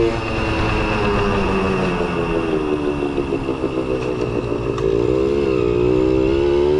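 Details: Kawasaki KS II-50 two-stroke, after tank cleaning, with oil mixed into the fuel because the automatic oil pump is in doubt; pulls cleanly under load, pitch climbing smoothly with no bogging; previously bogged on acceleration.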